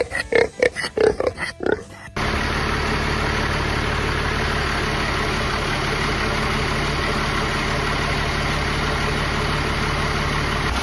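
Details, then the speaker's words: 1969 Dodge D200 Sweptline swapped with a 5.9 first-gen 12-valve Cummins using grid heaters, cold start at 23°F: brief quiet, then catches at once into a steady, even diesel clatter idle; normal cold start, with a slight fuel leak noted. "good old Cummins cold start for you don't know why people are weird about cold starts"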